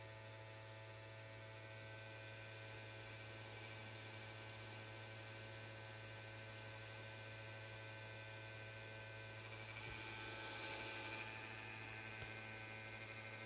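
Constant low mains-type hum with faint high buzzing and no fan spin-up; console hums but never powers on. Cause suspected, not confirmed.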